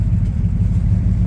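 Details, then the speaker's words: 1967 Pontiac Tempest 2-door post with a V8 400: a deep, even V8 rumble at idle with a steady low beat and no ticking or stumbling, the engine running healthy. "But it cranks right up. Little motor runs good in it."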